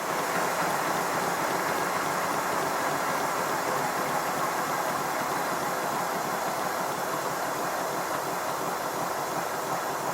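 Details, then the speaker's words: Simplex steam locomotive run with its blast nozzle removed: even chuffs with a slightly ragged beat and no whistle; it runs less well without the back pressure that cushions the cylinder components, pointing to the blast nozzle as the whistle's source. "You should be able to hear that it's not running quite as well as it does when it has a blast nozzle. The back pressure helps to cushion the moving components in the cylinder, but also with the blast nozzle removed, there's no longer that whistling noise."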